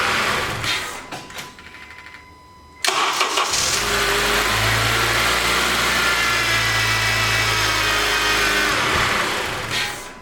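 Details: 2012 Honda Accord Crosstour K24 cold start after timing repair (new chain, guide, seized tensioner and VVT actuator replaced; earlier P0341/P0171, cold-start rattle): cranks briefly, catches cleanly, settles into smooth even idle with no top-end rattle or knocking. Normal cold start after repair.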